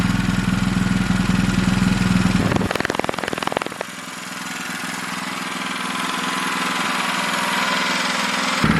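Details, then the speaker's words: MaxPeedingRods MXR212 212cc horizontal 4-stroke single-cylinder recoil-start engine (Predator 212-compatible parts), first start: steady lawnmower-like putter, drops off briefly, then picks back up and runs evenly; healthy normal running. "Sounds like a lawnmower."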